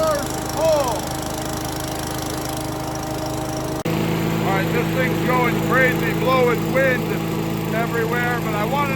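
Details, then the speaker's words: 5.5 hp Yardman leaf vacuum small engine after cleaning a plugged jet, first run in a couple of years: steady even drone at one pitch, no misses or knocks; runs normally. "so really all you're trying to do here is just trying to hear the motor run run"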